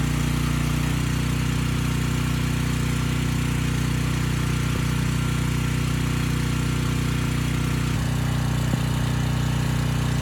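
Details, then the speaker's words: Briggs & Stratton Storm Responder generator, engine 21T212, after repair of a fuel-flooded engine stuck at TDC. Governor spring backed off, running slightly slow but steady under load with no knocks or misses. It makes power; brief smoke burned off. "okay that's all i wanted to see it makes power the engine sounds good it was smoking a bit but that burned off after a few minutes"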